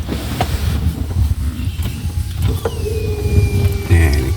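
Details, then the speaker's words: Peugeot 206 that would not start and leaked fuel near the tank, after an emergency wire-tie fuel hose fix: key-on, thin steady whir as the fuel pump primes normally; it then cranked but still wouldn't start, battery reading only about 8 V. "kontak pulpamnya udah hidup."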